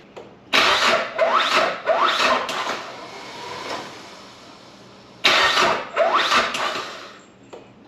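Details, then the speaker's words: Nissan Pulsar GTI-R with freshly rebuilt engine just reinstalled, after a fuel leak fix: labored, uneven slow cranking in bursts with pauses; owner suspects a bad ground, as a ground fixed it before. "The slow crank is strange. I fixed that last time with a ground."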